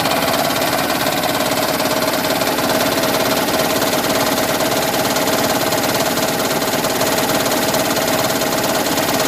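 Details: 2010 Toyota Prius idling with the AC on. A fast, fairly even tapping knock just under two per second starts at 0:22 and stops on its own about a minute later; it consistently coincides with the engine charging the HV battery. Cause unknown.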